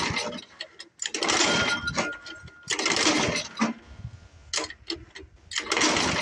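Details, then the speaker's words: Old Craftsman 24 snowblower with Tecumseh engine, sat for years, cylinder lubed, plug boot has a hole, about 28°F; repeated pull-cord bursts with brief coughs dying away; owner suspects carburetor; cranks but will not start. "[Music] sounds like it wants to all right I guess I'm gonna have to figure out how to get in here to this carburetor foreign [Music]"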